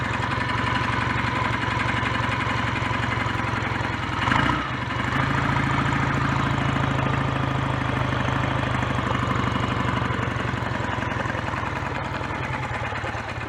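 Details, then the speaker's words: BSA A10 Super Rocket 650 twin idling cleanly off choke after cleaning and raising the carburettor slide needle two grooves to the middle position; even, steady lumpy pulse, no misses or knocks, complaint sorted. "certainly running well without the choke on now and uh that's what the complaint was so that's sorted"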